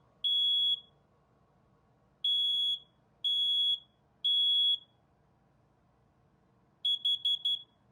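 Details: Smoke alarm that had been chirping, tested after a new 9-volt battery and a reset by holding the test button 15 seconds. Loud high-pitched beeps in bursts with a quick stutter at the end: sounding off properly.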